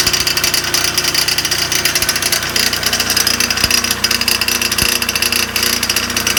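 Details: Dental air compressor in a basement utility room kicking on during inspection: loud harsh clatter with a hissing high-pitched roar and irregular sharp knocks; really terrible noise, something badly wrong.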